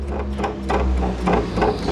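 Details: 1992–2004 Toyota Hilux SR5 2.8/3.0, engine running, dashboard cover removed: irregular buzzy rattles over low engine hum from a loose plastic piece in the instrument panel near the air duct, before fixing.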